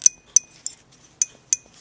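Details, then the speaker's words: 1927 Atwater Kent Model 37 radio, sound unit: reed spring clicks moved one way, then the other, are crisp, bright and nearly identical. After adjustment it takes equal pressure both ways and the reed sits centred and even. "listen to the sound in this direction and then the other way slight difference but almost the same"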